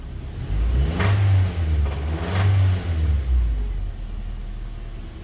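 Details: 2005 Honda Civic DX engine blipped a few times: deep uneven knocking under each rev, consistent with a worn connecting rod bearing; rod knock.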